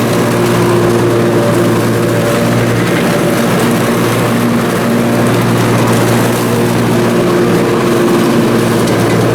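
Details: Briggs & Stratton Intek M44 twin engine after a full twin-carburetor tear-down and clean, under mowing load: steady, even drone, no surging or hunting; sounds way better. Normal running after repair.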